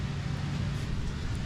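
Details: Jeep XJ after replacing the rod bearings. Steady low idle with no rhythmic bottom-end knock; smooth and settled. Temperature gauge not yet connected. Normal idle after repair.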